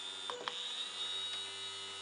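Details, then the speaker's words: Small DC motor driven by an Arduino through an L293D H-bridge, speed set by potentiometer, started then reversed at low speed: a couple of small clicks then a faint steady high whine at even pitch; spinning smoothly. "donc on lance le moteur on voit qu'il tourne si on change le sens de rotation on va voir qu'il va partir dans l'autre sens"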